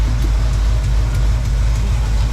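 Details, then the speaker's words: 1986 GMC Sierra 3500 V8, passenger side: deep idle rumble with faint light clacks from an exhaust leak at the header where the rear cylinder bolt head has broken off; not the valve. "so it's an exhaust leak so uh yeah that back bolt head apparently has been broke off so pretty much going to be a fact of life just having to listen to it you know with that little clack"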